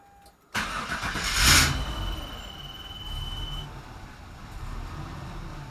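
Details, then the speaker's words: Chevy Nova with months of random engine cut-outs: engine catches with a sharp burst, then sagging, surging idle while the fuel pump audibly cycles on and off (multi-priming); cheap OBD2 scanner found nothing; cause not yet confirmed. "Okay guys, let's see if we can put an official end to this engine cutting out problem. First, if you haven't seen this video, let me show you what it does."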